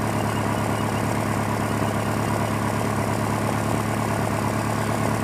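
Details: 2001 Honda Prelude, morning idle, CEL codes for cylinder 2 and random misfire, black tailpipe, burns 1 qt oil per 1,000 miles: low steady idle with faintly uneven stumbling exhaust beat; owner suspects worn piston rings, compression test pending.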